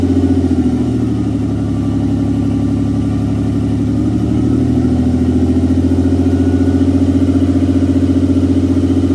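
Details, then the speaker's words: 1992 Nissan 300ZX Z32 NA-TT, first start after engine install with little else connected: lumpy idle stumbling about three times a second and hunting. Rich miss from a large vacuum leak. "That shit was running on air. It was running on fucking hopes and dreams. It has a little mist though, so you might have something going on."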